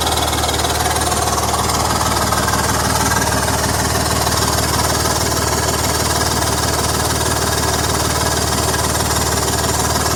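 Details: BMW M54 petrol engine idling with a steady, fast puffing tick on top: exhaust leak.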